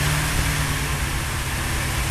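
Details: V8 with freshly rebuilt Holley 4150 double-pumper carburetor and 4.5 power valve, not in gear, revved and held during tuning: deep, even roar at a steady raised speed with no misfire or stumble; normal rev, running clean.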